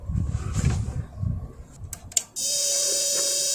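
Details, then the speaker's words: 1995 Magnavox 25TSC60101 CRT TV (25B501-00AA chassis) plugged in: sharp relay clicks, then steady hum and hiss as the power supply comes up, but no high voltage follows; possibly bulged capacitor suspected; power supply fault. "But yeah, this is a power supply issue. Listen to this. Plug it in. Heard the power supply come up."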